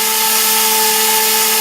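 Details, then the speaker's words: Quadcopter drone failing to lift off, owner suspects factory-reversed propeller shaft threads, throttle barely raised: loud, steady high-pitched motor whine, revving higher and higher without climbing; motor over-revving, cause suspected. "Look how crazy and loud it goes. It's revving high, it's trying to flip out."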